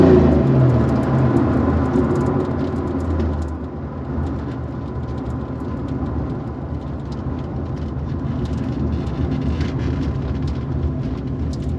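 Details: 1990 Chevrolet Corvette 6-speed V8 with upgrades, wrapped headers and likely a custom exhaust, recently driven a couple hundred miles without issues: deep, loud, even idle that isn't lumpy; healthy engine, louder than stock exhaust.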